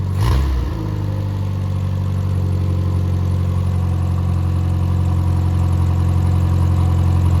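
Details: Rebuilt Triumph Spitfire 1500 engine (FM125586UE), crank turned, compression 190–210 psi, oil pressure 80 psi cold, ≥47 psi hot. A strong, even low idle picks up cleanly with no knocks; the light steady clicking is the fuel pump, and there is no muffler. Normal idle and revving.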